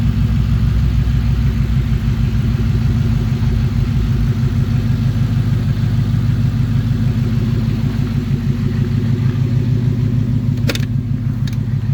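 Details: Ford Coyote V8, fully warm after a drive following the cam phaser fix for a timing chain chirp and rattle: an even idle rumble with a faint, quick, regular injector tick and no knock or rattle. Normal warm idle.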